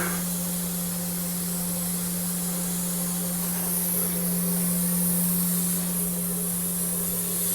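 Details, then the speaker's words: 45-year-old Vauxhall Royale coupé, 2.8L straight six, rebuilt engine on its first test drive: a constant hiss over the steady engine hum as the cooling system seems to pressurize; overheating suspected, gauge hot but not extreme. "Yeah, I think it's pressurizing."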